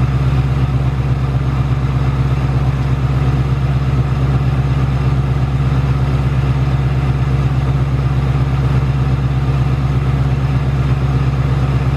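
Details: 2018–2019 Ford Mustang GT Coyote V8 at steady idle: quick, even metallic ticking of about three a second with a faint rattle; the tick returned louder in the last two weeks, and the owner says it is not the direct injection. Source unknown.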